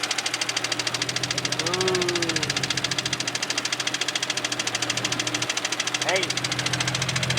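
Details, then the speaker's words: Turbo Nissan 370Z engine after blowing up, idling. Sharp, even knocking about three or four times a second, sounding like a badly damaged bottom end; engine knock. "you hear that knock knock hello hello hello oh man it's"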